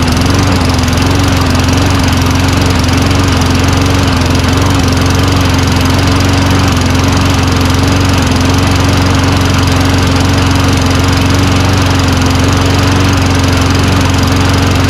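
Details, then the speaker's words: Old Toro Recycler Personal Pace push mower with Tecumseh engine, running on its own after pull start: steady, even, low-pitched drone without hunting; rpm estimated about 2,800 versus expected 3,200, governed speed low. "RPM seems a little low, wouldn't you say? A smidgen? I think it's like 2,800. It should be like 3,200."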